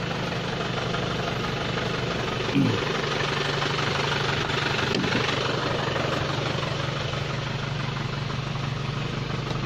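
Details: Isuzu Panther Kapsul first generation diesel idling with the double-blower AC on, front blower cold. Steady, even idle rumble with a smooth blower hum and no knock or misfire, a healthy idle.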